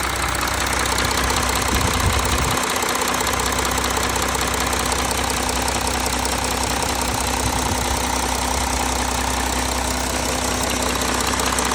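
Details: Audi A4 3.0 TDI (CRTC engine) cold, oil temperature below 60°C: diesel idle with steady regular knocking about two or three per second over the clatter; source not pinned down.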